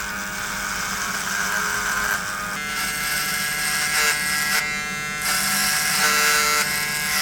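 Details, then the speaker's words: Cordless trimmers (Beardscape, Gamma Evo) cutting horse hair while compared against the corded Wahl Peanut: a steady high buzz barely sags, motor holds speed without bogging, as powerful or more than the Peanut; normal running under load. "I think that this comparison alone should go to show you that there are battery power trimmers that are just absolutely as powerful or even way more powerful than the wall peanut"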